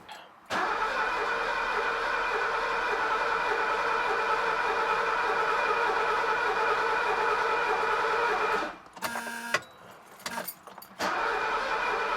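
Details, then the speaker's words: Mercedes 250 (W114) parked for decades, start attempt with starting fluid; about eight seconds of steady cranking with even compression, never catches; cranks but won't start, owner suspects no spark. "it's got compression that's for sure i think she would have popped off by now she would have with a little bit of that starting fluid which means i might not have spark"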